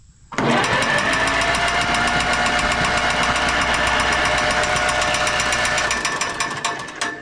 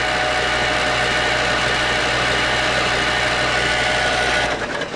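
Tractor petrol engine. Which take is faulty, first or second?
first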